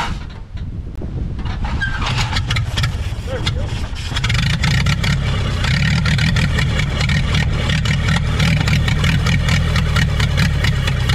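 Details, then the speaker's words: 1930 Ford Model AA doodlebug four-cylinder, revived after 72 years abandoned in woods: cranks, catches and settles into deep even chug about two beats a second with clatter over it; running properly. "we got the old doodlebug up and running after she'd been abandoned in the woods for 72 years she runs like the day she was parked she sounds real good"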